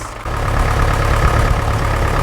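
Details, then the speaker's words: Massey Ferguson MF35 tractor diesel just started cold using start pilot after fuel priming and a cylinder head crack repair: steady, even low idle with no misses or knocks, running cleanly while still cold before warm-up. "she's running quite good as well for a coal engine now I'm going to let it warm up and see what"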